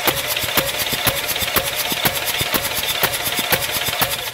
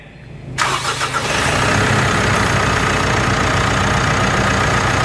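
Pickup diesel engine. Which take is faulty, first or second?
first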